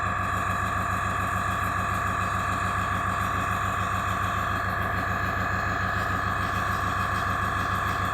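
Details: AS196 airbrush compressor after cleaning its check valve, restarting to refill the tank after air was released; even pump chug with constant hum, no stumbling or hissing, no leaks at joints; normal.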